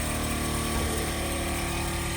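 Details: Truck horn air compressor, part of a train horn system fitted about six years ago, starting after the battery was reconnected following long neglect; steady buzzing hum, constant drone, no knocks or grinding; compressor running, checking whether it builds pressure.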